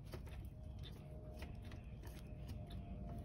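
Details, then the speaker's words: Removed camshaft adjusters from an M156 engine in a W221 S63 AMG, turned by hand: light, irregular metallic clicks from internal play in the intake adjuster, exhaust barely moves; worn intake adjuster bleeds oil, causing cold-start rattle. "this is the intake that's the one that's making a lot of"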